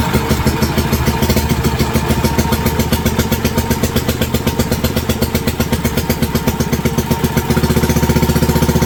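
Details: WWII Wisconsin AB Signal Corps generator, revived after about 70 years unused, run on fuel poured into the float bowl with the switch on, reading about 117–120 volts. Firm, regular thumping, about four beats a second, steady under load, no misses; running normally.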